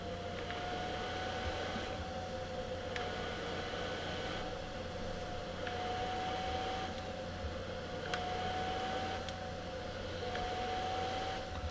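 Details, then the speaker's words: Elegoo Neptune 3 Pro 3D printer, motherboard fan (original sleeve-bearing fan became noisy after 4 weeks; ball-bearing replacement fitted): steady high whir that swells when the fan housing touches the metal mounting plate, which resonates and amplifies the fan noise. "so when it's a year old I'm going to be tempted to cut that out because you can hear the differences and I hold it up now just listen to different volume increase when this touches this metal"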